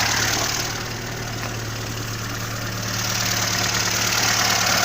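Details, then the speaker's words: Warm Zhiguli-type engine with a new water pump, after a knock was traced to the alternator's lower mount: steady, even idle with a smooth low hum and slight vibration but no clicks or knocks. "Также потихоньку трясется, но щелчков, стуков нету."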